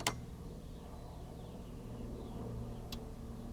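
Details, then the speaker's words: 1960 Sylvania Dualette portable black-and-white tube TV, old capacitors suspected bad: sharp snap at switch-on, low mains hum, then another snap as the circuit breaker trips; something shorted, later peaked at 470 watts. "here we go and the circuit breaker just tripped I heard it let's do it again maybe maybe I need to reform hey if it blows a fuse once it reset it and do it again right"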